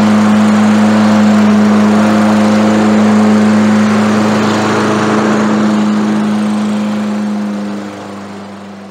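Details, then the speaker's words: Lawn mower engine holds a strong, steady governed speed with no surging or misfire and winds down smoothly; runs well before any priming, after correcting the linkage spring improperly installed with the new carburetor, plug and air filter. "Kami bahkan tidak menyiapkannya untuk memulai, kedengarannya sangat"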